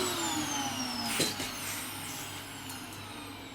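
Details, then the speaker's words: Dyson DC07 Origin vacuum reported to overheat and die after about 10 minutes, vacuuming carpet with washed filters: high whine drops, clicks, and winds down as it shuts off. The motor is very hot and judged to be failing, likely needing a new motor. "Ooh. What do you know? That has just turned off. The motor is failing on it."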